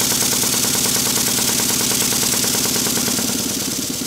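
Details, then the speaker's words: Restored Stuart model steam beam engine after fitting a silicone O-ring to the piston, reassembling the Watts parallel motion and adjusting valve timing: soft, even chuffs about three per second over light hiss; runs fairly quietly, normal running. "i think you'll hear that it's running fairly quietly"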